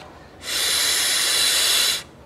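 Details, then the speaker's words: Yamaha XV 250 Virago vacuum fuel tap on test after a diaphragm repair kit was fitted and pushed fully by hand: a steady air hiss of about 1.5 s leaks past the new diaphragm, so the kit does not seal the tap. "ouviram aí né passou a atacar ambas agora a galera vou pegar o diafragma velha vou colocar aqui vou apertar até o final vai só pra botar o dedo então moral da história o reparo pega ele não veda essa torneira"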